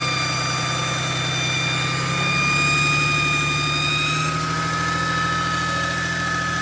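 Clear high-pitched whistle over a steady diesel idle; the pitch drops slightly partway through, source not pinned down. Cause suspected, not confirmed.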